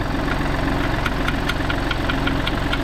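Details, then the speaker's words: 2014–2019 Mini F55/F56 at idle: a light metallic tick about three times a second rides on the idle as an AC pipe with a broken clip taps the body from engine vibration, heard in the cabin. "So this is the rattle to I will get a torch and show you guys exactly what is wrong with it. So as you can clearly see the pipe the clip is broken."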